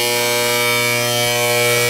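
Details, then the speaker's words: Gas boiler and water heater power venter with old crusty, long-unoiled motor, boiler not firing: loud steady electrical hum with strong fixed tones and no speed change; venter motor failing, needs a new motor. "yeah it's not firing it's the motor it's the motor need another motor"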